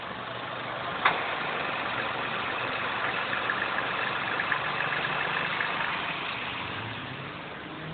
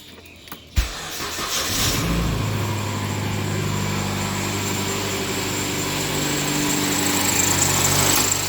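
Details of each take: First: Inspira 2.0 / Lancer GT, inside cabin after engine mount replacement, aircon off: quiet even idle, drone and hum gone, one brief click; previously loud vibration from broken engine mount. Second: Mitsubishi Inspira 2.0 / Lancer GT on cold morning start: cranks, catches, then droning, buzzy idle with coarse vibration from the engine bay; engine mount found broken, before replacement.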